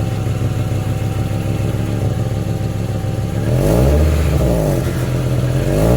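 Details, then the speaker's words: 1994 Acura Vigor GS with the engine warm after driving, before its exhaust pipes were replaced. The engine revs with a raspy, puffing exhaust note that grows louder under throttle, from a hole in the exhaust pipe. "there's a um there's a hole somewhere in the pipe in there so that's what the car sounds like before i change it"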